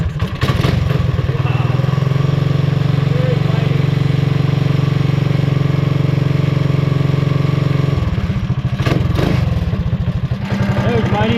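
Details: Mighty Moto minibike running after a new pull start was fitted following off-road damage, first run in a couple of weeks; small single thumps at a steady fast idle, firing cleanly and evenly with a brief blip; runs fine.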